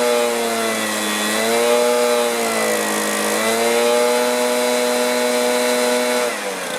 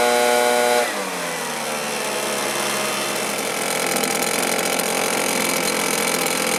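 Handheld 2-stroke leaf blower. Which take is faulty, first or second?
second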